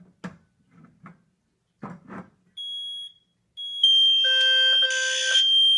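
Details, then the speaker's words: Zone 3 smoke test on a Cosmo 2W detector with spray: soft knocks, then a steady shrill tone joined by several sounders; the detector's own buzzer is out of sync with the others and doesn't silence, even taped over. "hear there's a buzzer on this, and it's definitely not synced up with the others. And it doesn't silence when the other silence beat is on here."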